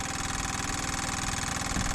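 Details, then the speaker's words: Sailboat diesel that stalled, with a clogged secondary fuel filter suspected. With the bleed screw open, the fuel pump ticks fast and even, about eighteen beats a second with no tension or load. Owner suspects it is pumping air. "that to me sounds like it's pumping air there's nothing there's no tension on it but right now i've got the bleed screw open"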